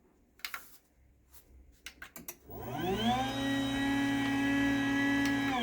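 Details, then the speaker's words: 20-year-old, heavily used garage door opener running: a few clicks, then a smooth steady motor hum with no grinding or rattle; quieter than a brand-new Chamberlain DC belt drive, normal operation. "So you can hear that 20-year-old opener, even though it's been used a lot, is quieter"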